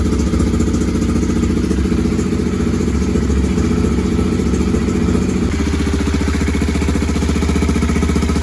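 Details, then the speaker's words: BMW F650 GS single-cylinder at steady idle after tank cleaning, new fuel pump strainer, new inline fuel filter, G650GS Sertao injector and TPS reset, for high-speed bucking and stalling: even thumping, no stumbling; now runs without stalling. "so now I've got the bike running without stalling"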